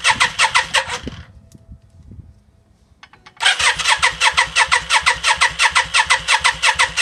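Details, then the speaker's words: 1992 Yamaha Virago XV535 V-twin just after engine rebuild, fuel primed and float bowl full: starter spins engine in even fast chug near three beats a second, no firing; no spark on either plug, suspected broken wire or bad connection. "She doesn't want to start. I've got no spark on either plug."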